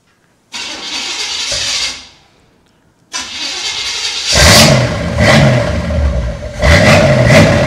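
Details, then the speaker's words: 1977 Corvette barn find, first start after revival: catches after a short crank and settles into an even idle with clean blips and no knocks or misses; it runs much better than at first. "it much much better than what it first sounded like all right tell you what there you have it it runs it runs"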